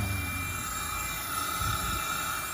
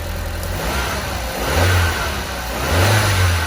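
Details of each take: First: 229,000-mile Audi TT intake leak test with an adapter fitted in place of the MAF, pressurising the inlet. A steady airy hiss and thin whistle over pump drone come from a boost leak; an intake pipe had come off. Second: 229,000-mile Audi TT on the dyno after its intake air leaks were fixed: three clean revs that rise and fall smoothly, then a steady idle with no hiss or stumble. It runs better and has regained power.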